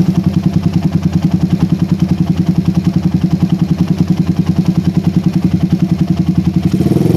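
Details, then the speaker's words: PE24 carburetor after replacing the needle jet with a smaller-diameter one to cure a rich low range. An even, low thump at about 3.5 beats per second with no misses; the idle is more stable than with the previous needle jet. "nah suara idle lebih stabil lagi guys ya berbeda sekali dengan head nozle yang sebelumnya kita pasang"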